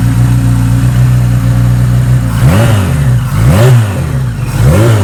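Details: 1976 Kawasaki KZ900 with a Mr. Turbo package and a Bendix carburetor, fuel on reserve; steady four-cylinder idle, then three quick crisp throttle blips that rise and fall cleanly: healthy, responsive, normal revving.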